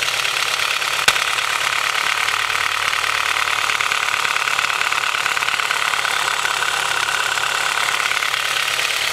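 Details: Cold-engine piston slap on a Honda H22 with Mahle Gold Series pistons, piston-to-wall clearance slightly too loose: light, uneven knock under a hissy clatter at cold idle; rebored with oversized pistons after about 5k miles, no skirt damage.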